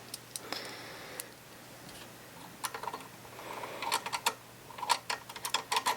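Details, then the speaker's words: White 999 sewing machine, around 40 years old, after cleaning and oiling: light irregular ticking and clicks as the handwheel turns, no scraping or metal rub; earlier roughness fixed by oiling, sounds smooth and healthy. "there still sounds good so actually I what I thought was the bobbin area may have been a little roughness from metal and metal in this area which I've now fixed by oiling it yay"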